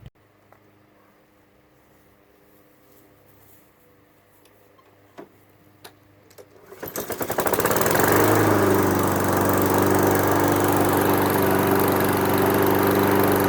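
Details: Honda HRX217 mower first started after fitting new Oregon 21-inch tungsten-carbide mulching blades in place of worn, damaged ones. A few quiet seconds, then the engine catches and climbs to a smooth, even drone with no rumble or vibration, so it runs healthy.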